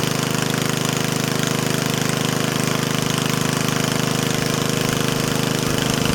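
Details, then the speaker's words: Yardman Snowbird snowblower small engine running at steady speed with a crisp, very even rapid pop and no misses or hunting; it sounds excellent and barely smokes, running normally. "That sounds excellent. It doesn't really smoke, so that's definitely a plus."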